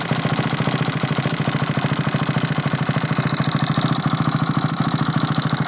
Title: First start after rebuild